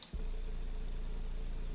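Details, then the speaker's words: Klipsch ProMedia subwoofer driver, over 10 years old, tested at 28 Hz: deep steady tone, clean, even cone movement, only port chuffing; driver healthy, fault was the caved-in mesh. "Well, the sum total of the noise that you're hearing is port noise because of the box. But this speaker is perfectly fine. It's flapping at 28 hertz like it's supposed to."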